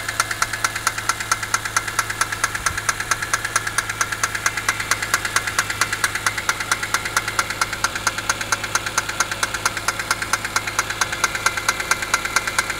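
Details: BMW E46 M3 at idle: sharp, steady metallic knock/rattle two to three per second, progressively worsening; owner suspects chain tensioner or VANOS, plans to remove valve cover; unconfirmed.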